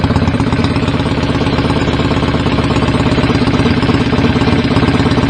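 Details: BSA A50 Royal Star twin, bought as a non-runner, at first start after restoration with pattern exhaust: loud, fast, slightly uneven idle. Needed throttle to fire; owner suspects timing slightly off and plans a strobe check.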